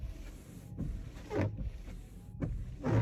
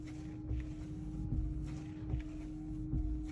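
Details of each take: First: Car windshield wiper with twisted frame, one side not touching the glass, leaving water streaks; rough juddering rasp on every sweep, about once a second; wiper blade chatter. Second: Car windshield wiper after fix: twisted frame bent level with a screwdriver so it sits flat on the glass, blade refitted; low steady motor hum, soft even sweeps about every 1.5 seconds, no chatter or squeak; normal wiper operation.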